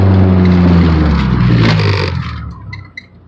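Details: Honda Civic with H22 swap, street-tuned after the idle air control valve was removed and cleaned; it previously had an idle issue. Deep engine note winds down smoothly to a complete stop and settles without stumbling or stalling.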